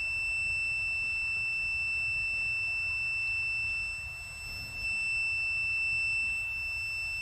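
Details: Continuity test on a fuel injector from a 3.6L Pentastar with a misfire but no codes, using a homemade Chrysler injector-harness test connector and meter. One unbroken high-pitched beep with no dropouts shows the injector coil circuit is intact.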